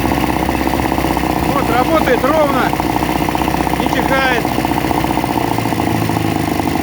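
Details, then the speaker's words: Veterok-12 outboard that sneezed and stalled at idle, after balancing the mixture, cord-started: steady, even idle without misses or stumbles, faint chirps over the top; now running smoothly. "И оно бежит, а не чихает. Работает без сбоев."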